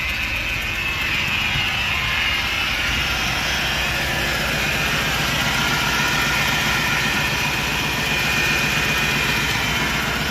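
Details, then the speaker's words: 2002 Chevy Impala LS 3.8 V6 first start after starter replacement: uneven stumbling, pulsing idle, engine shaking from a misfire, check engine light flashing; leaks noted under transmission and oil pan. "all right we started but we definitely have a misfire this thing is is shaking pretty"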